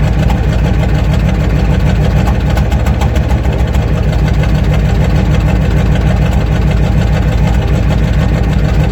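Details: 1994 Ford F350 non-turbo IDI diesel, which also smokes: rough, uneven clatter with irregular popping beats under acceleration, clearing in the top gears. A cylinder misfire persists after new fuel filter, injector return lines and thermostat; compression test planned.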